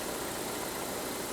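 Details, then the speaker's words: Ford Edge with a new water pump fitted and a scope pressure transducer installed, just started: a smooth, even idle hum with no knocks, ticks or rattles; it is running good. "go ahead Eric and start it up oops get this thing going all right it is running good"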